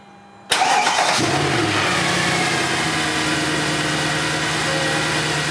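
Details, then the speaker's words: Mercedes C63 AMG M156 start-up after serpentine belt work and refitting the fan: cranks, catches cleanly within a second and settles to a steady, even idle with no belt squeal or chirp. "well the fan's back in we're gonna go for a start up now"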